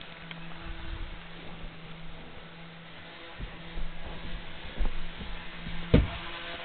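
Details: Jouef Amtrak RTG Turboliner model train, first test run after rebuild with a Kato F-3 diesel drive replacing a worn-smooth worm gear, before a station stop; steady low motor hum with light track clicks, smooth; normal running.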